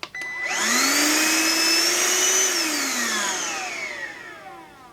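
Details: Deerma handheld cordless vacuum cleaner, reassembled after opening: motor whirs up to a high steady whine, holds evenly, coasts down smoothly, no rattle or grind; normal motor run.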